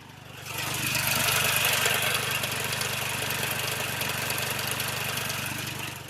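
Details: Warm Hyundai Xcent diesel, engine replaced after five rebuilds, revved about 1200–2000 rpm with slow response and whistling: sharp, regular metallic clatter about four times a second, louder with steering turned; hot diesel knocking.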